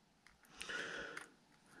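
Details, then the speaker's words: Worn Traxxas E-Revo rear differential, turned by hand: sharp clicking in a handful of spots as the pinion slides up and over ring-gear teeth worn heavily on the sides; diff needs shims, none included with rebuild. "yeah in a handful of spots probably one you hear the clicking noise right about here click click click click right here"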